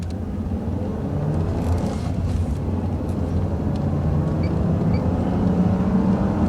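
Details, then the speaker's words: 2001 Jaguar X-Type 2.5 V6 manual petrol after a transfer box oil change, recorder on the floor near the transfer box, at 60 mph in fifth gear: even road rumble and drivetrain hum with no whine, so the transfer box is running smoothly. "sign so I'm rolling along at 60 MPH in fifth gear and it's sounding very smooth"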